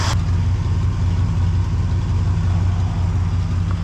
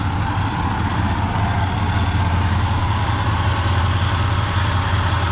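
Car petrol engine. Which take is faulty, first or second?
first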